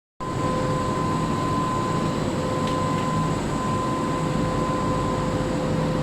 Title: Weird Fan Sound on LRT Kelana Jaya Line set 54 #klsentral #train